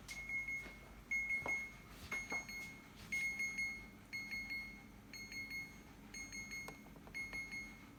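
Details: Second-hand fridge alarm sounding continuously: a high-pitched beep repeats about once a second and never stops, cause not identified, owner wants it switched off.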